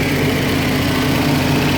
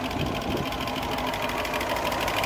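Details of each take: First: 1972 Range Rover A-suffix V8 with linked, balanced carbs: busy even idle set high at around 1750 rpm, possibly running a little rich. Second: 1972 Range Rover V8 with idle being adjusted from about 775 down to below 700 rpm: steady, even idle with a soft regular patter of about three beats per second, settling lower and sounding healthy.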